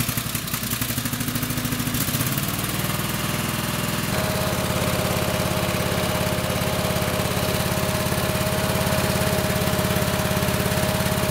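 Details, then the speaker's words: Craftsman lawn tractor, Kohler 26 hp Courage V-twin, before coil replacement. A lumpy, uneven fast idle with missing pulses; it runs on one cylinder because that side's ignition coil is dead and the spark tester does not light. "so as you heard there doesn't sound quite normal you can tell it's running on one cylinder and you could see in my tester here that it was not lighting up"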